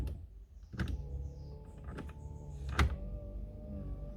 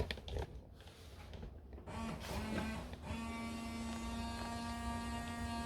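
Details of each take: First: Fiat Palio, wipers tested from inside the car before inspection: quiet steady motor hum with a soft thunk about every second as the blades reverse; wipers sweeping evenly and working fine. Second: Fiat Palio rear window washer; a steady electric pump whine in a quiet cabin as the pump runs normally, but no fluid sprays because the hose is broken inside the pillar.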